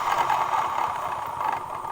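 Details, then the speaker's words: Honda Vario 125/150 scooter running with CVT cover open: harsh, gritty metallic rattle from the worn rear pulley needle bearing (20x29x18), then replaced: worn CVT rear pulley needle bearing. "Oke sekarang kita dengarkan lebih dekat lagi bunyi kasar dari suara bearing ini"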